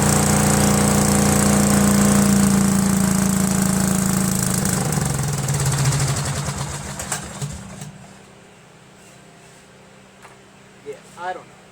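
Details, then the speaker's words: Cub Cadet garden tractor, Kohler Command horizontal single-cylinder engine: runs unevenly, sagging and fading until it dies within about eight seconds; fuel starvation, with the mechanical fuel pump's actuator tip found worn by camshaft contact. "it was running okay for a while but then one day I was just dragging this trailer around and just wouldn't start and we stay running is running really rough you know and I felt like it wasn't really getting any fuel I suspect it's the fuel pump"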